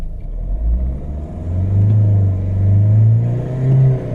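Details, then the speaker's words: Mahindra XUV500 diesel after repair and air bleeding, no warning lights: deep, even rumble rising smoothly with revs, the earlier tapping noise gone; normal running. "Sound नहीं है जो कल sound ए रहा था तक तक तक तक की"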